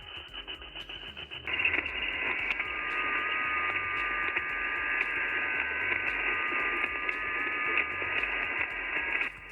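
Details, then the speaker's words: HF reception on an ICOM IC-705 during a WinLink session with the Victron Smart Shunt in circuit in an off-grid camper: steady hiss with fine buzzing whistles, interference from the shunt, later reduced by grounding the negative to the trailer frame. "And this is what the Victron Smart Shunt sounded like on HF while doing a WinLink session on my ICOM IC705."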